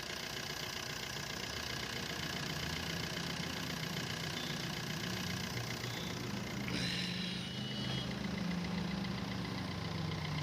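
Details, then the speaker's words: Maruti Suzuki Swift VDI diesel idling after replacing the dried-out AC compressor bearing that caused a grinder-like noise: steady, even clatter with no whine or rumble from the belt side; noise gone, running cleanly. "और start होने के बाद में जो पहले चीज जो आवाज आ रही थी वह अभी सैंपल नहीं है"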